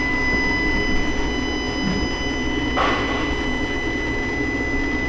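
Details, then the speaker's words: 2018 Dodge Ram Hemi V8, CEL on and cruise control faulty: at idle with cylinder 1 deactivation solenoid commanded, no clicking heard, only throttle body high whine; solenoid suspected faulty. "yeah we definitely don't hear cylinder 1 clicking"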